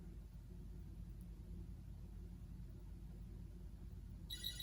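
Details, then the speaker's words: Commodore 8032 that runs but shows nothing on screen; a near-silent room, then one short, bright, high-pitched ding from holding the space bar, the end-of-line margin warning bell, showing the computer is working. "there it is it's telling me yo you're getting close to the end of the line and so that tells me it's working"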